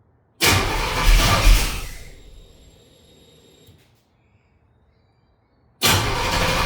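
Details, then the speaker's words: Engine with new Ace's Killshot EFI throttle body and Blackjack distributor, timing set at 15°: starter churns briskly over a second then winds down without firing; crank no-start because fuel return line was run to wrong side of regulator, building pressure. "Silly thing is I guess if you run the return to the wrong side of the fuel regulator you're just going to get pressure built up"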